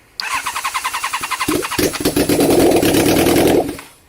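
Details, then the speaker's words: Honda CBR1000 Hurricane, first start after months in pieces, carbs rebuilt, bench synced and refitted; on choke as it won't start without it; about 1.5 s of even cranking then catches and settles to a steady strong run, healthy start. "well we just got the carbs bench synced and reassembled so now we're getting the carbs put back on the bike hopefully we'll actually hear it brap again"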